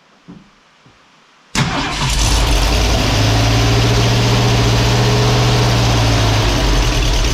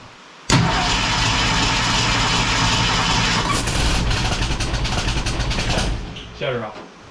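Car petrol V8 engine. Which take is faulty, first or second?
second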